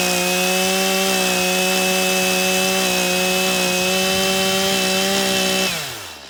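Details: Stihl MS 182 C-BE chainsaw after a morning cold start and a minute or two of idling. A strong, steady high rev holds pitch through the cut, then drops smoothly as the chain comes free: normal cutting under load.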